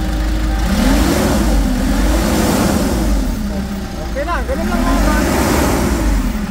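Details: Engine after replacing timing chain, guide and tensioner (previously very noisy, loose chain): revs up and down twice, smooth rise and fall with no rattle or slap; normal revving.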